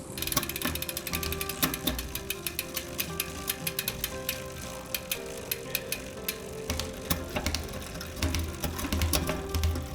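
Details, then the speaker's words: Shimano XT M8100 rear derailleur and shifter after readjustment following a crash: crisp freewheel ticking with clean single clicks as the chain steps through each cog, no grinding or skipping. Shifting is properly adjusted. "once you can hear that it is shifting good and all the gears I start back at the bottom and work my way up gear by gear making sure that it goes into each gear and goes into it properly"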